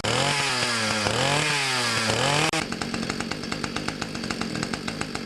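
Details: Ryobi 31cc two-stroke mini cultivator, final start after carburetor adjustment (it previously died on throttle-up): it revs up and down smoothly, then settles into a quick, even popping beat with no stumble, healthy running.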